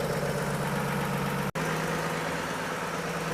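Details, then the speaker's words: 1950 Chevy 3600 truck old straight engine at steady idle after new radiator hoses and coolant, thermostat not yet open, gauge just above 150; smooth low beat, no knocks or misses; normal idle. "God, it just runs so good. That's no choke, no nothing."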